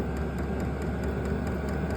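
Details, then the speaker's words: New Vevor 12V 8k diesel heater for a 600 sq ft shop, switched on: a low, steady burner and fan hum with soft regular fuel pump ticking about four times a second. Normal startup. "so it says that it's on you can hear the machine kicking on right now"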